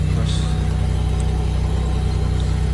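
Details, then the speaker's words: 1990 Pontiac Bonneville, 192,000 miles, at dealer auction on cold start: deep loud idle with uneven chuffing pulse, sounds rough; partly sounds like the muffler, cause not confirmed; rough running engine. "taking the lid on anything it sounded kind of rough"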